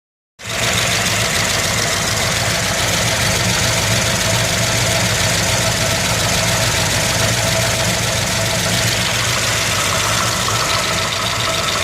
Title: Lifter tick